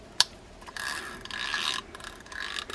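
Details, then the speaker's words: Fishing reel (one of several sent in for service) makes a scratchy, ratcheting crying noise in uneven bursts when cranked; suspected anti-reverse fault where the fork over the cam/ratchet separates, letting the wheel back-pedal. Not confirmed. "here's another one i think this is the one with the anti-reverse issue maybe yeah so this one's kind of crying out there you can hear that uh"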